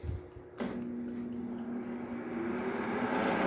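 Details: Mondial Pratic 2.4 L air fryer, about a year and a half old: switches on with a click, then hums with a rough, uneven whirring that grows louder, caused by a loose fan nut on the motor shaft.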